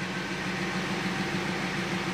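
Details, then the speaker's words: Abandoned Audi Q7 with suspected air suspension fault, raising height via dash setting: steady low buzzing drone with even hiss, no rattles or stalls; air suspension compressor running normally, car rising. "there you go so now it's setting it and you can see on the dash here i can hear the pump going"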